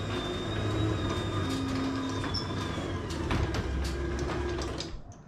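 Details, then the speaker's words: Newly installed Chamberlain garage door opener with brand new roller wheels and diligent lubrication: the door opens with a steady, even low hum and roll, only light clicks, no scraping or banging; normal quiet, smooth opening. "I'm gonna open up the garage door, and you can listen to how quiet and how smooth and just how utterly rewarding this garage door opens up."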